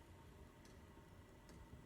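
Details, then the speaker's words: Chinese diesel heater on a bench test, running 52 minutes, fuel pump turned down to an idle state. Quiet hiss with a faint sharp tick about every second, slow and steady. Normal low-output fuel pump ticking. "just hear the fuel pump click another nap this thing it's quiet and it puts out the heat"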